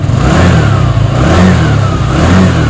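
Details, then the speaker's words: Yamaha Nouvo Elegance 135 scooter after an engine rebuild with new valves and con rod and a cleaned carburettor: three quick throttle blips that rise and fall cleanly with no rattle, good compression and good acceleration. "ครับพอฟังเสียงเครื่องกันดูครับว่าฟิตแล้วเป็นยังไงบ้างครับเครื่องยนต์ติดแล้วนะครับ"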